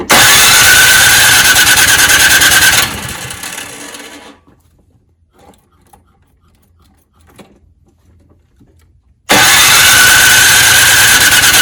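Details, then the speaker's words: Snowblower that wouldn't start in fall. Electric starter whirs steadily for about 15 seconds, stops, then cranks again with no firing. Spark present, so the fuel system is suspected. "Most likely, as you saw earlier, even though I had the electric start going for quite a bit of time, about 15 seconds or so, which is quite long, it would not actually get the engine started."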